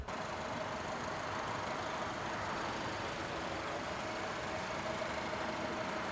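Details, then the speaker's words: 2009 Subaru Forester with a newly installed remanufactured EJ253 2.5L four-cylinder, run after the swap: a quiet, even idle with a soft steady hum and no ticking, stumble or knock. It runs smoothly while the exhaust burns off residue; still slightly oily underneath. "but other than that it's running very smooth which I'm happy to see"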